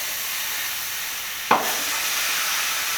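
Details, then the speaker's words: Porsche Panamera Turbo on air suspension, lowered after side-exit exhaust build: sharp puff, then steady thin hiss as front right air bag leaks down, preventing a test drive. "Yeah, it sounds like a leak. All right, so as you guys saw, right when we put the car down, after the exhaust was done, the bag started leaking, the front right bag in the car."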